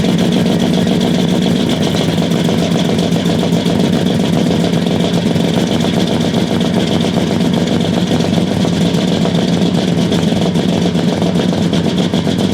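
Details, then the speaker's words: 1969 Buick Special Deluxe, 430 big-block V8 with big cam, first start after sitting over a year; loud lumpy idle with an uneven chuffing beat around two a second, very rich because the choke was left mechanically closed all the way. "well it started sounds kind of rough it's running super rich maybe I don't know have to check that out for sure"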